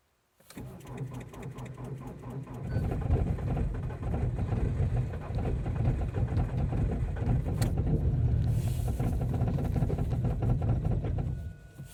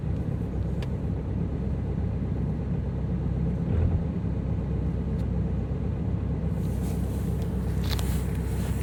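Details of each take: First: Ford Focus 2.0 TDCi diesel, cold start after a night at -18 to -24 °C in Częstochowa, Poland: about two seconds of slow, laboured cranking before it catches loud and rough; a hard cold start. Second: Ford Focus 2.0 TDCi diesel just after a hard cold start at -18 to -24 °C: low, steady rumble with no misses or knocks; a normal cold idle.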